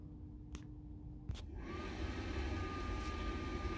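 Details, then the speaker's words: Stryker SR-955HP CB radio in a semi truck after 3 years of hard use, on DC power with the inverter off: after a couple of clicks, a steady low 60-cycle-style buzz with a thin high tone from the speaker on a dead channel; cause unknown. "It's buzzing. 60 cycle buzz. We're on DC power. My power inverter's turned off. There is no 110 volt anything going on in this truck right now. It's buzzing."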